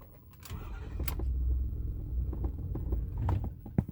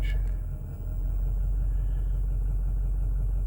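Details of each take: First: 2008 Ford F450 6.4 Power Stroke diesel with intermittent no-start and no throttle response, worse cold but also hot, fuel filters replaced: low uneven rumble sagging with scattered knocks, semi-running near stall; cause unclear. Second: 2008 Ford F450 6.4 Power Stroke diesel with intermittent crank-no-start and no throttle response: low, even idle with no stumble or hunting for now, before it later stumbles on its own; worse cold but also hot.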